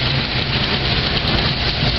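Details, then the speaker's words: Car cold-started after battery installation, having sat 3 to 6 months under a car cover, left warming up: steady even idle with low rumble, no knocks or misses, settling smoothly while cold; normal cold-start idle. "Yeah, we're going to let her keep warming up, folks."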